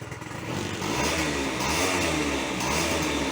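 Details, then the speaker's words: Honda Dio two-stroke scooter after fitting new exhaust pipe to replace a clogged one: steady buzzy idle with no misses or stumbles, little smoke; holds idle normally. "Ну в принципі це двохтакний скутер то що тут казати воно так і повинно бути хлостий тримає все хорошо"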